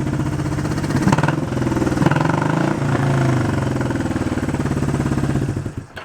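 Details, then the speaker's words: 1971 Honda CB350 barn-find motorcycle, carbs lacking a working idle circuit: lumpy, uneven chuffing idle that stumbles then dies as one cylinder isn't firing at low revs; revving it up brings that cylinder in. Cylinder misfire at idle. "so this guy still does not have an idle circuit in it it seems like it's uh uh not responding at a B on the bottom end but if you rev it up you hear that cylinder kicks in"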